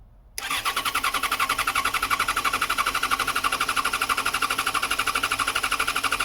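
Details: 2014 Yamaha XJ6S Diversion, under 12k miles, after repairing cut wiring, fuel gauge showing nearly empty: starter turns briskly at about four even pulses a second but never fires; owner suspects no fuel in the tank.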